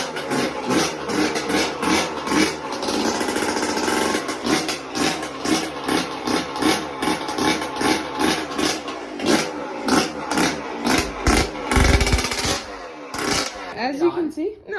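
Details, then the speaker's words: Yamaha YZ125 two-stroke dirt bike after a top-end rebuild with a new piston, previously weak and would not start: crisp throttle blips, about two a second, with a clean ringing note that picks up quickly; runs strong and normally. "it's good as you can see turned on nice like it took a little bit but cuz I got a brand new piston but sounds nice sounds good how it used to ran how it used to"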